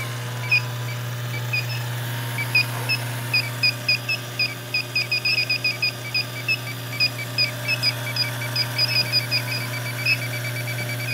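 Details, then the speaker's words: Evaporator coil pressurized with a little R-410A to about 50 psi, topped with nitrogen; ultrasonic leak detector on high at the coil corner: steady hum, then rapid high chirps speeding up. Leak found there. "definitely definitely picking up and it's right down there in that in that corner we'll spray bubbles on it"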